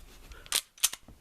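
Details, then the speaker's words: Springfield XD pistol with Powder River Precision trigger kit, reset check: crisp clicks with no grinding or catching; trigger resets cleanly. "there should be no grinding or catching or anything you can hear the click and feel it in your finger and then press"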